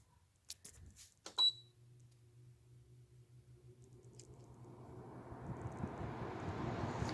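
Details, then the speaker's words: Haier window air conditioner after fan motor bearing replacement and cleaning: clicks and a beep, then the fan spins up to a smooth rising rush of air with no chirping, squealing or squeaking; normal start-up. "you can hear no more chirping no more squealing no more squeaking i have replaced the bearings on my hire"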